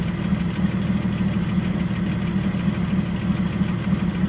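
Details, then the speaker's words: 1976 Ford truck with carbureted engine: steady low idle with a rough, uneven puffing chuff from an exhaust leak; oil is full of gas, possible small vacuum leak. "Got an exhaust leak. The oil in it is awful. It's got a lot of gas in it."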